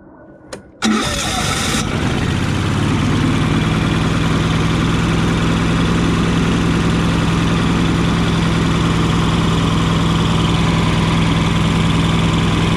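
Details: Yamaha EF4500iSE inverter generator with a bad inverter board (no output to outlets), starting: after a short crank it settles into a steady, heavy, lumpy run that sounds rich, as if choke were on, though it has no choke.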